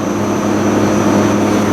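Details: Lennox heat pump in winter heating mode, outdoor fans (Altivar 21 drive runs 2 of 6) restarted after OL1 fault, icing and defrost water visible: steady even fan drone, constant low hum, faint high whine, no surging or scraping; normal fan operation.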